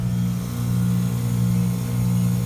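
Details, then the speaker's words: Ameristar heat pump after replacement control board, coming out of defrost: strong even low hum, steady pitch, no rattles or knocks, outdoor fan still spinning down; compressor restarting and running normally. "okay there comes the compressor back on"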